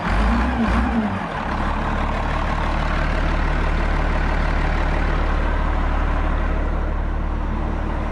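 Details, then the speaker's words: Rebuilt 8.3 Cummins diesel in a road grader, rear crankshaft pump drive removed to eliminate a knock: deep, steady drone with no knock; runs well, though a starting problem remains, suspected failed pump advance. "sounds pretty good."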